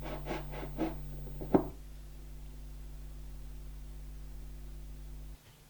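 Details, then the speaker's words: Stepper motor driven by TMC2208 drivers on a 12 V supply, audible only when moved on the desk: a few handling knocks, then a faint, steady, smooth low hum; normal quiet running. "Just to prove I'm not turning the sound volume down when the TMC2208 drivers are running, you can still hear it if I move the motor on the desk."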